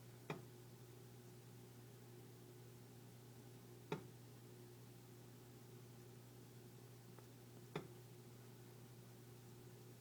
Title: Phantom Clicking Noise. - Pipe Expansion & Contraction